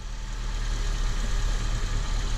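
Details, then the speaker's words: 2003–2007 Honda Accord engine warming at idle after a power steering pump found running dry was refilled with fluid; steady even rumble with no high whine left, fluid still bubbling slightly; normal idle, power steering whine fixed. "I think I fixed it. Yeah, guys, I think I fixed it. I don't hear the whine. Nope, I don't hear it."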